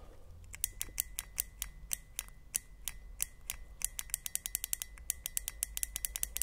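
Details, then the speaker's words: Fuel injector being cleaned and refurbished, bench-tested with a battery and non-latching push-button switch; crisp clicks a few per second, then quicker runs of about six a second, each press answered at once; normal, healthy injector solenoid. "i'm going to try and get my mic and hopefully if i grab my little button you hear the injector click here"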